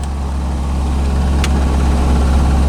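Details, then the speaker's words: 1985 Chevrolet Corvette C4 V8, just revived after a no-start traced to a poor negative battery cable connection: steady even low rumble, no knocks, misses or squeals; battery charging, oil pressure good, normal cold idle. "But now, it's working. And as you can hear, running. Battery's charging, oil pressure's good, RPMs are good."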